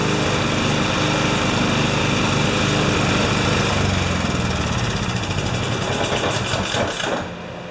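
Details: Husqvarna snowblower with a 14.5 HP Briggs & Stratton OHV engine that only runs with the choke on, out of gear, throttle up: fast fairly steady running on choke, then sagging and dropping off; cause not yet found.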